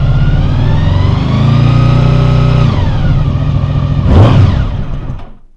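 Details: 2000 Honda VFR800 V4, injected and restricted, first start after 6 months' storage on old fuel. Lumpy, uneven note that swells with a rev and drops away. One cylinder is not firing and its exhaust pipe is cold.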